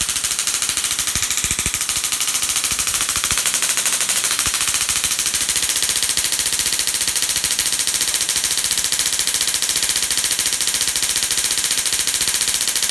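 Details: Dual RPS half reconfigured to about 100 kV with half the diodes flipped, Darson Bell configuration; continuous harsh crackle of rapid snapping sparks, steady throughout, as it charges up and discharges; normal spark gap arcing.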